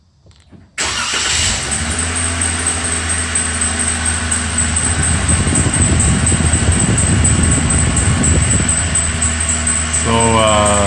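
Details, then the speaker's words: Brand-new 2023 Jeep Wrangler cold start: quick repeating chirp from the narrower serpentine belt, three to four a second, lasting a few minutes; Windex stops it briefly; fixed by warranty harmonic balancer replacement, distorted rubber let belt walk. "this belt chirp goes on for a couple of minutes when I start the car cold. It's done that since new, and I know it's the belt because if I spray the narrower serpentine belt with Windex, the chirp immediately goes away."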